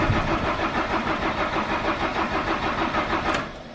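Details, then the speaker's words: 1992 Autostar 491 camper on a C25 chassis, first start after winter storage: steady cranking at about three beats a second that never catches, then stops; owner suspects a dead battery, cause unknown. "Bon, bah voilà. Camping-car ne démarre pas. Je pense que la batterie est HS."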